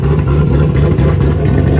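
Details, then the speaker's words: Supercharged V8 police car with roughly 27 psi boost, running on methanol under load on the dyno; deep loud even roar, no misses, knocks or rattles, sounds healthy and strong. "we are back in action running on methanol and phil sounds really good oh yeah that'll burn your nostrils boys i'll make sure my computer is good that sounds so good"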